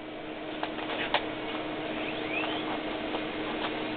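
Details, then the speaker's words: IBM PowerServer 230 system powering on: faint rising whine over a steady low hum as the HP drive's platters come up to speed; normal hard drive spin-up. "you can hear the HP Drive is doing something that's spinning up okay all manner if things are coming alive in there"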